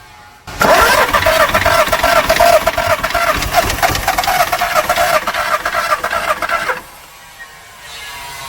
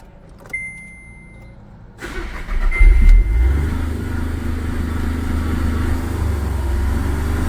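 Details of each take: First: Skoda Fabia diesel with VW Polo engine that stopped while driving: about six seconds of quick, light, even cranking with no firing; sounds like little or no compression, timing checked OK, compression test planned. Cause suspected, not confirmed. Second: Skoda Fabia with VW Polo common-rail diesel engine that stalled while driving, started after timing checked and the rail pressurised: a click, a short crank, then it catches and settles into an even, steady diesel clatter.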